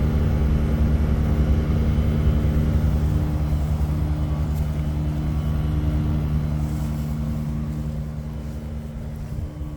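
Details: Daikin ERLA 11 kW heat pump outdoor unit making a loud, steady low-pitched buzz with a faint pulsing throb. In person it is said to be twice as bad as the recording captures.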